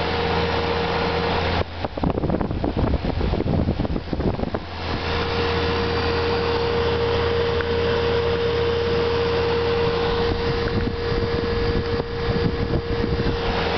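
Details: 1995 Magic Chef 25-pint automatic dehumidifier with Frost Guard, cover off, very dirty coil, occasionally freezes up: after some start-up clatter, a steady low compressor hum with constant fan whoosh and faint tone; compressor and fan running normally.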